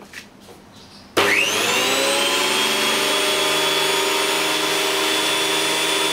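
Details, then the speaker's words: JET JWP-12 12-inch benchtop planer, first test run after reassembly, no load: motor snaps on and spins up to a steady high hum, holding even; runs normally. "So sekarang ni kita test run, try on kan lah. First time on, kita dengar bunyi dia macam ni"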